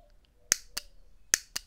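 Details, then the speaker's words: Mercedes W140 S500 transmission valve body solenoids bench-tested by applying power, for hesitation into drive and reverse: two pairs of sharp crisp clicks about three-quarters of a second apart, strong and clean; solenoid actuates properly. "Yep. Nice and strong. Okay, so we'll go through and we'll check all of these and then we hopefully will have six good solenoids."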